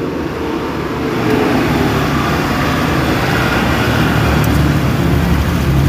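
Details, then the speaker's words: Honda Vario automatic scooter at idle after the ticking "klétek" noise was fixed: a smooth, even, steady low rumble with no ticking or clatter on top, only the normal standard tick; the noise is gone. "Oke suara sudah halus kembali ya tidak ada etek-etek Nah etek-eteknya tadi ini tiktiknya titik normal standar motor Vario nah Oke jadi etek-teknya tadi sudah hilang"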